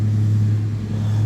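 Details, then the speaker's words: 2001 Suzuki TL1000R bought non-running, after a tip-over sensor fix and work on the rear-cylinder spark plug and pressure sensors: deep, steady low rumble holding an even beat with no misses or rattles. Now running fine at idle. "but uh that's it we got it running"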